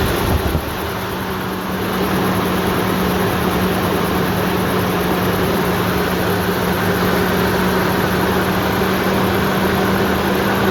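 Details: Toyota 4Runner started in the woods after repairing a huge coolant leak; new part not leaking, residual coolant smoking off the headers: steady, even idle, smooth low hum, no knocks, misses or hunting.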